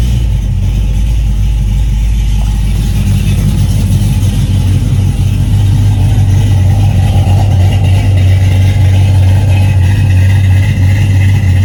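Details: Cadillac CTS-V with newly connected exhaust, still untuned, idling deep and choppy with an uneven loping beat about three times a second.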